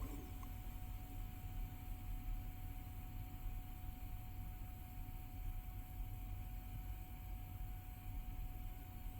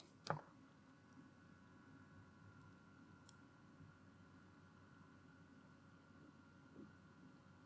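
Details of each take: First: be quiet! Pure Loop 360mm AIO installed in PC, tube-mounted pump at full speed, after a few hours of use: faint steady buzz over a low hum, the loudest part of the build; owner believes it was quieter at first, cause unconfirmed. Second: be quiet! Pure Loop 360mm AIO, new, tube-mounted pump run at full speed from a power supply outside the case, held near the mic: faint steady high hum, no rattle, gurgle or grinding; audible but not too bad.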